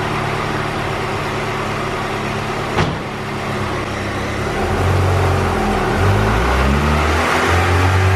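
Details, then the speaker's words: Turbo B18C GSR in an EK coupe (rods, pistons, ~50-trim eBay turbo, log manifold, 1000cc injectors, small intercooler), now on stock GSR cams. Dyno pull at ~6.5 psi to 7,000 rpm climbs cleanly with no stumble. Still rich from the bigger-cam tune, with a slight VTEC dip. "All right, I got everything up and running with the stock GSR camshafts. Valve lash, timing, everything's all done. Back up and running now. And we're gonna do a dyno run and see if the VTEC issue goes away."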